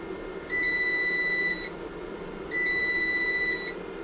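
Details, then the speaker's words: Inverter on a Grener 12.8V 100Ah LiFePO4 battery, warm, running a heater on medium, at about 10V after 1h19m: second-long high beeps every two seconds, then shutdown; low-voltage cutoff alarm. "Okay. The alarm says we're going to be shutting down here any second now. There it is. It's off."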